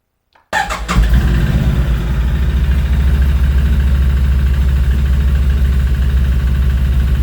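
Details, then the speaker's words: Scooter engine right after its 2500 service (valves adjusted, variator cleaned, belt checked, oil and filters changed) starts and settles into a fast idle with a light, uneven rattle or clatter in the engine; the mechanic could not find the source. "aber trotzdem ist in der Maschine ein Klappern oder ein Dagern am Motor und er weiß nicht, woher es kommt."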